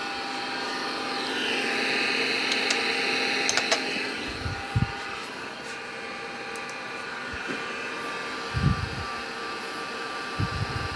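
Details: 40-year-old MiniScribe hard drive in an IBM 5161 expansion unit while the IBM PC 5150 boots from it: loud continuous high whirring with intermittent soft head-movement thumps; boots fine but far noisier than normal, cause unclear.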